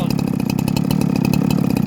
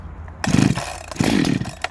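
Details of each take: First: Husqvarna 372XT chainsaw: rapid, lumpy two-stroke idle with uneven blubbery burbling pulses, close to stalling; running way rich. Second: Husqvarna 372XT chainsaw, dead cold, after rebuild with new piston, machined squish for more compression: quick cord pulls, then fires and settles into steady crisp buzzing idle without misses; normal, snappier start-up.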